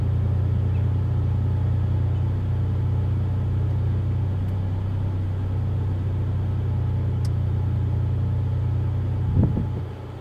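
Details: Ford Mondeo ST220 at idle with random misfire on banks 1, 2 and 3, down on power, won't rev past 5k rpm. Deep idle rumble with an uneven, loping beat; later attributed to a blocked rear catalytic converter.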